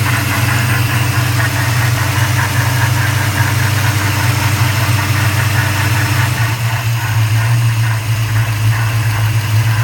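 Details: 1994 Chevrolet Caprice LT1 V8 at idle, recorded under the hood: steady idle with a constant airy whoosh and faint rubbing; cause unknown, owner seeking input; whooshing rubbing noise.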